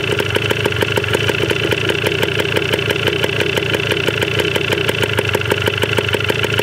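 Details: 1980 Yamaha DT 125 Enduro two-stroke, first start on old fuel, battery uncharged, very low compression noted, carb not yet cleaned: quick even popping idle with a crisp rattly edge, steady speed; runs cleanly.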